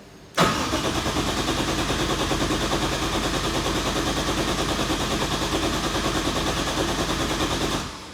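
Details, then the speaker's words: Nissan 180SX with a 1JZ swap, not started for about 3 years, first start attempt: steady fast cranking for about seven seconds without firing, seemingly with no ignition. The owner suspects old wiring or an unplugged connector. Cranks, no start. "Kayak belum ada ignitionnya gitu. Kita cek dulu, semoga cuma masalah perkabelan doang."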